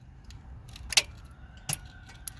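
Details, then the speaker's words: Dodge Journey no start, no crank: sharp irregular snaps and clicks with no cranking while jumpering relay pins; arcing because no supply voltage at the relay. "now however I just found out the reason that sparking and clicking because I don't have voltage"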